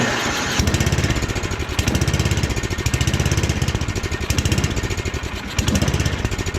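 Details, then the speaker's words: Snowblower small single-cylinder engine during rebuild, first start cold with pull-start: chugs unevenly, surging and sagging every second or two; owner suspects it needs more choke. "A little more throttle. Oh, maybe she needs a little choke in her life."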